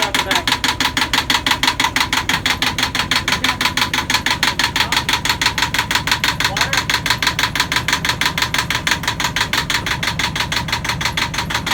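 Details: Sailboat Yanmar diesel, first run after fuelling and priming: even, crisp clatter at about three beats a second, steady with no misses; ran about five minutes healthy, later stalled from air in fuel lines.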